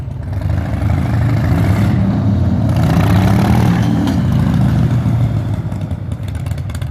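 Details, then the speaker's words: 2003 Harley-Davidson Softail Standard V-twin pulling from standstill through first to third, before transmission, primary and oil changes: revving with clunky knocks as shifts land; hard shifting. "so we got quite a bit of a clunk there and I think that's the perfect example"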